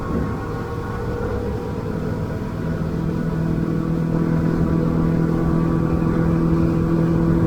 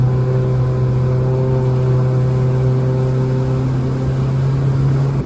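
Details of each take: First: Outboard boat engine at about 5,100–5,200 rpm: the labouring drone gives way to a clean, zingy, even hum, the efficient cruise sweet spot for fuel saving; normal running. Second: Outboard boat engine held at too-low revs, below the roughly 5,100 rpm sweet spot: deep, heavy, steady labouring drone with no rise in pitch, the engine working hard and wasting fuel.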